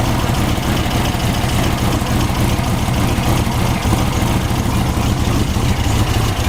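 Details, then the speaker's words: VW air-cooled 1600cc turbo (T3) dune buggy with DIY fuel injection, no high-idle air valve, just started cold; O2 sensor not yet warm, air-fuel bent into the rich zone on cold enrichment; steady, even low chuff at constant idle, no misses or knocks; normal cold idle. "so it takes a little while for those two senses a warm-up right now the cold arrangement is Ives a special the g4 you see the her feel rates are bent right into the rich zone"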